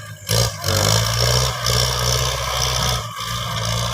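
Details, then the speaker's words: Tractor ploughing very dry, hard red laterite soil in drought, with water pumped in from 500 m away: steady engine drone with a rough scraping rasp as the plough won't bite in. "แห้งคักเลยล่ะฟังเสียวแล้วโว้ยฮักแต่ว่าเจอดินแกนลินแดงให้มันบ่อยากเข้าแล้วไวมาร์บ่อยากเขาบอกเขาหลี"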